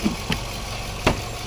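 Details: 2019 Nissan Pathfinder 3.5 L V6 (complaint of rough, unstable idle and stalling, MAF code P0101) now idling evenly with no stumble or hunting. Fuel trims are correcting to near normal as it warms up.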